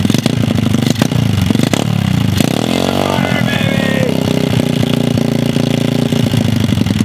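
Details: Dirt bike (mini pit bike) pulled from a lake bottom, engine full of water: first start, single cylinder fires and blips unevenly, revs hanging and stumbling, WD40 burning off; oil contaminated with lake water, to be changed.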